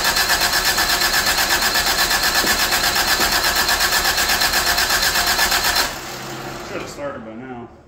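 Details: 1985 Toyota Tercel after swapping vacuum lines and brackets onto a replacement carburetor, some distributor vacuum lines unhooked: fast, even cranking about six seconds that never catches; flooded, will not start.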